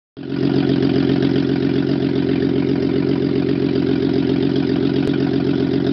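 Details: Mercedes-Benz W140 S320, first start after overhaul: catches quickly and settles into a smooth, even idle with no knocks or misses; normal idle.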